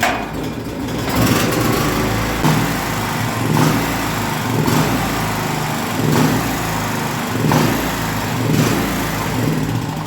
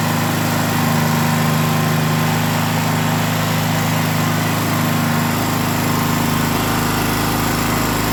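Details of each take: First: Small gasoline generator that shuts off after about 5 seconds: engine hunts up and down about once a second, never settling; fuel clean, fuel starvation. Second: Gasoline generator that had been shutting off after about 5 seconds, after reconnecting a fuel inlet hose that was pinched by the air vent frame and cutting off fuel: even, steady drone at constant speed with no surging, sputtering or dying; normal running after repair.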